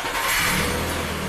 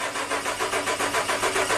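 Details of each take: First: 2011 Suzuki Equator (Nissan Frontier) 4.0 V6 with a long cold-start no-start, after immobilizer key registration: engine catches at once and settles into a smooth, even run with no stumble or misses; normal start. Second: 2011 Suzuki Equator (Nissan Frontier) cold no-start below 20F (-5C): steady starter cranking about five compression beats a second, never fires; injector and coil power feeds good but no injector or ignition pulse, traced to faulty ECM.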